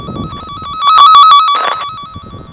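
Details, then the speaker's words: Cen-Tech wire tracker on a buried underground dog fence boundary loop: warbling tone swells loud over the live wire, then fades as the probe moves past the break in the wire. "on the left hand side over there is where you still have the hot wire on the right hand side over here is where you have the brake so when I put this up to the the left hand side you'll hear the beeping when I put it on the right hand side uh"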